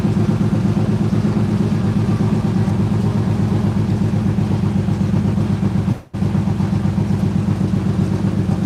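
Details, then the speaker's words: BMW E85 Z4 roadster runs with a steady low beat but an uneven lumpy pulse and a brief stumble; rough running with a slight misfire. "Little bit rough here. Let's try it again. One more time. Sounds like she got a little bit of a rough misfire for a second."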